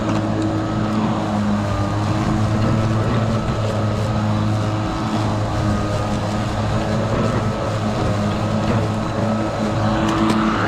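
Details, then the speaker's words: Kobalt 80V Max cordless lawn mower, used 4 years without issues, running on high speed setting while mowing: even, steady low hum, smooth, no rattle or wobble; quieter than gas, noise mostly from blades; normal. "And you could probably carry on a conversation while mowing the lawn, but it's just loud enough that for my ears, I would rather not."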